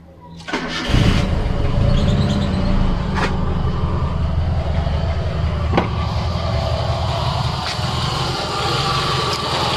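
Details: Proton Wira 1.5: engine cranks, catches and settles into a rough, gravelly idle with a dry grinding undertone from a damaged alternator bearing.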